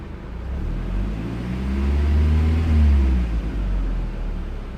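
Low rumbling rev that rises and falls, with an uneven, stumbling beat instead of a clean pull: the engine is misfiring under throttle.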